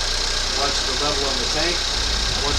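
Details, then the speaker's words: 2019 Ford Fusion 2.0 idling after alternator replacement and coolant refill, warming up for thermostat to open: steady, even idle hum with no rattle or knock; alternator charging, no dashboard warnings. Normal idle. "Alternator's charging good. No problems on the dashboard."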